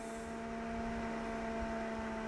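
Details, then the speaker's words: PWM-controlled 3D printer enclosure extractor fan running at reduced, not full, power, about 2200 RPM at 26 degrees with RPM dropping as temperature falls; smooth steady low hum, no rattle or ticking; normal running at reduced speed. "but it's not full power [Music] and that's two four two two six zero so 2200 RPM 26 degrees"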